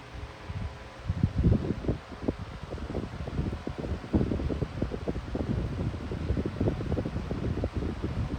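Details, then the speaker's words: Lasko high-velocity fan starting up and running on low speed: a soft gusty whoosh of air with a low even hum underneath and no rattle or scrape. It runs fine, and the louder whine comes on medium. "I think low speed has the best startup sound, but it does whine pretty loudly with the winding sound or the humming sound on medium."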